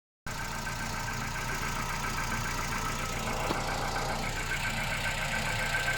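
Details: Engine with 10,500 km at cold start: loud idle with an uneven, rough mid-range clatter over a steady hum. Abnormal cold-start noise; the cause is unclear.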